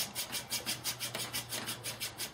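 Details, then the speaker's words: Fire-making drill (HDD incantation drill) after warm-up: even, raspy rubbing strokes about six a second, and the earlier squeaking has stopped. The spindle has gone from glazing to real friction and is smoking well. "okay hear the squeaking stop"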